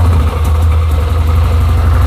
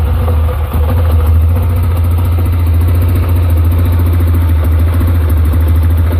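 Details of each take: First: 2007 Yamaha Rhino 660, single-cylinder, after repair of rough cold idle and high warm idle: fires right up and idles with low steady thump, no stumbling or surging; choke pulled and returned goes back to normal. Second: 2007 Yamaha Rhino 660 single-cylinder idling unevenly and lumpy, running rich because the overly long choke cable keeps the choke plunger from seating; it runs smoothly once the choke fully closes.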